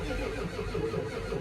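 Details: 1989 Ford F250, cold weather, after fixing a ground issue and trying without ether: starter drags the engine over steadily with a low churning beat, nothing fires or catches; crank-no-start, cause still unknown.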